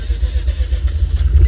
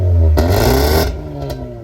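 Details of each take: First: Mazda RX-8 rotary showing a misfire code, still smoking after the computer was reset, starting up: deep, lumpy throb with uneven pulses and stumbling; misfire. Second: Mazda RX-8 rotary after new spark plugs: a low, steady idle hums evenly with no stumbling. It previously had a rough idle and heavy smoke, first feared to be a coolant seal failure, but it was the worn plugs.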